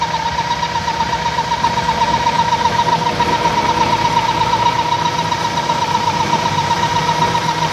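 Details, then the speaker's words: Toyota Indus Corolla 1998 engine at idle, belts refitted and noise persists: thin constant mid-pitched whistle over steady idle; pressure felt at opened oil cap, traced to vacuum leak through broken PCV valve. "Cap खोल के देखि cap खोलने के अंदर engine के अंदर काफी pressure बना हुआ है गाड़ी स्टार्ट करो ये कैप खोला है तो गाड़ी के अंदर प्रेशर बन रहा है"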